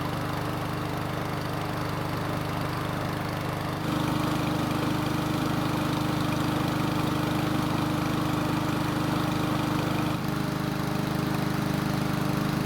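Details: Ariens mower small engine after long storage, carburetor serviced and oil checked: even, steady drone at constant speed with no surging or misses; runs smoothly, later restarts hot.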